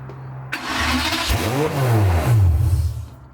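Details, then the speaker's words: Aston Martin DB7 V12, rebuilt engine's first start: catches immediately but revs climb straight away and hang high instead of settling, because the throttle butterflies were left set partly open. "Il a démarré absolument immédiatement, mais a eu tendance à tout de suite prendre des tours. Enfait, les papillons sont réglés pour être partiellement ouverts.."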